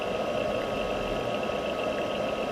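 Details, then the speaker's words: Palstar PS-30M power supply cooling fan, before replacement with a quieter fan: loud, constant airy whir with a steady whistle and no speed change. The fan is noisy, which is worse when ambient temperature is warm. "You will hear that the fan in the power supply is quite noisy."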